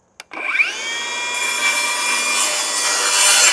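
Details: Milwaukee Fuel circular saw with stock Milwaukee blade: sharp spin-up, then a high, steady whine holding pitch through the cut without sagging, dust blowing out the back; cutting strongly and normally under load.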